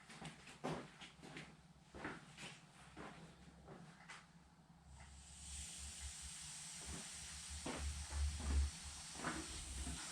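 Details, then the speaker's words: Cheap used blaster cabinet, air just turned on at the filter regulator: a steady sharp hiss starts and holds over a few knocks. Air is leaking from the faulty filter regulator. "right i can hear that filter regulator making a noise which shouldn't be"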